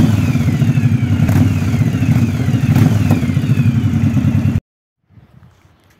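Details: Yamaha DragStar XVS 1100 serviced for a damaged starter clutch and timing chain concerns: the big twin catches and settles into a steady, even low thump with no knocking or clatter before shutdown, a healthy idle.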